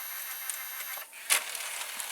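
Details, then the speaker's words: Panasonic SA-HT820V VCR/5-disc DVD changer combo, hidden mechanism (likely two motors, lift and drawer) positioning to eject disc 2: light high-pitched motor whir, one firm click as it settles; normal changer operation. "So it seems that there's a mechanism that you can hear it turning, and it places the drawer. It places the mechanism to the position of which drawer you want to eject."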